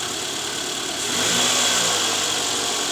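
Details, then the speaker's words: Toyota Alphard 2AZ-FE, after replacing a worn balancer shaft with play at gear no. 1 that caused rough noise near the oil pan at cold start: smooth even idle with a brief light rev, no roughness or knocking. "Oke sudah sangat jelas berbeda bunyinya sekarang sudah halus Jadi udah nggak ada bunyi kasar lagi diare mesin"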